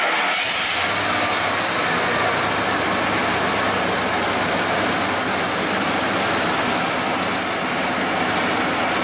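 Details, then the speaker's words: 1995 Ford F-150 5.0L, cold idle just after start: uneven, stumbling beat as one cylinder drops out; ignition scope shows very high kilovolt readings on number six, apparently an open circuit, assuming setup is right. Single-cylinder misfire. "so 1372 looks like number six assuming we've got everything set up right uh has some uh very high kilovolt readings uh this appears to be an open circuit"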